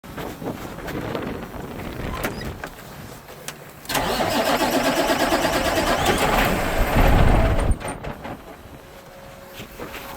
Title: Cummins ISX 871 won't start hot. Bad ECM